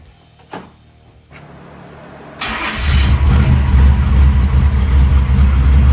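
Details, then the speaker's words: 1978 Chevrolet Malibu V8 just after carburettor tuning and ignition timing check: a brief crank, then a deep, steady rumbling idle through the mufflers with no ticking or puffing from the headers, a healthy start and idle. "We said it sounded just like my car. Those are my mufflers. I gave them to her."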